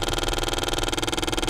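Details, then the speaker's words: Ford C-MAX purge control valve, activated with a tester and microphone held close: rapid, even clicking about ten per second, loudest at 50–60% duty cycle and quieter as it stays open longer toward 90%; valve working normally. "you can hear the clicking it should be louder at about 50 60 percent and then you'll start getting quieter"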